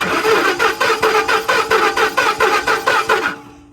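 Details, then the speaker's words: 2010 Ford F-150 with 330k miles, suspected jumped timing with three crank/cam position codes, after cleaning VCT valve, air box removed: starter cranks evenly about four compressions per second but never fires; fuel pressure present, crank no start. "Nope, not starting yet."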